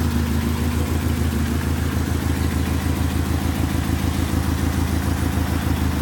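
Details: 1994 Infiniti G20t P10, SR20 four-cylinder, with an uneven, loping idle of about three pulses a second; it runs rich and backfires on deceleration, and the cause of the rough idle is unclear.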